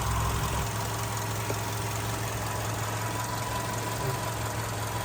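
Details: 2008 VW Golf 6 1.6 MPI petrol, manual, 178,000 km, imported from Germany from a single first owner: quiet, even idle with a steady low hum, no misses, knocks or smoke; starts well cold and hot. Normal idle.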